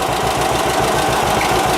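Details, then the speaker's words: 1946 John Deere AR tractor at warm idle: steady light tapping about seven times a second. The owner suspects valve train tapping, unconfirmed, and plans to check valve clearances with the engine cold. "sounds good other than that i can hear like a valve train tapping but uh i want to check all that"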